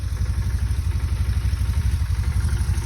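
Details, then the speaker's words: Motorcycle at idle, fuel pump barely audible, possibly quieter after break-in; even regular thump about four beats a second with no pump whine; normal healthy idle. "click and I I don't really even hear the fuel pump right now so it sounds really good"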